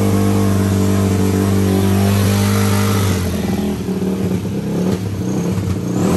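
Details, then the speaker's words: Yamaha YFZ450 four-stroke single after a full top and bottom end rebuild, timed correctly. It settles into a steady thump, then revs climb cleanly and fall back with no knocks. The motor sounds healthy, though the jets (178 and 45) still need tuning. "but as far as the motor goes it does sound healthy"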